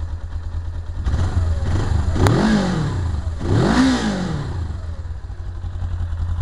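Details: 1999 Suzuki GS 500E motorcycle: rough idle, then two quick blips rising and falling with faint mechanical clatter underneath; odd engine noise of unknown cause.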